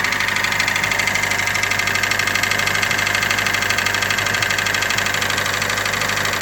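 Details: 2013 Hyundai Elantra GLS at 60,000 km idling: a loud, steady knock about three times a second from the bottom end; a friend suspected rod knock, and the dealership found the crankshaft rubbing the bottom of the engine, so a new engine is on backorder.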